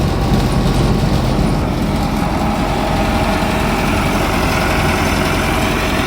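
Old combine diesel idling with a steady, even low rumble, no knocks or misses; sounds healthy and still running fine.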